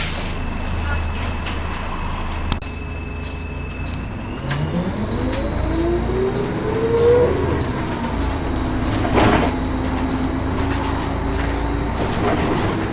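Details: First Manchester Volvo B10BLE diesel bus 61241 (R339GHS), recorded 9 October 2010. A thin, strange high-pitched squeal rises and falls over the diesel rumble and road noise; source unknown.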